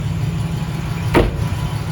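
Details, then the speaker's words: 2004 Chevy Tahoe 5.3, sat six months, communication problem left unfixed, security light out: starts and idles with steady low rumble and one brief stumble, runs pretty good but misfires on acceleration; warming up. "runs pretty good [Music] it's got a misfire upon a celebration just gonna let it warm up a little bit"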